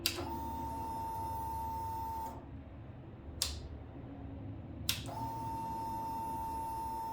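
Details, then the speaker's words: Indian Scout Bobber fuel pump priming with the key on after a spark plug change to NGK CR9EIX iridium, run twice because the fuel line was run dry. Steady high whir for about two seconds, a click, then it runs again; normal priming. "Just going to prime it a couple times since we did kind of run that line dry."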